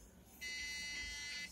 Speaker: again I am getting same sound so I think this RAM is not installed properly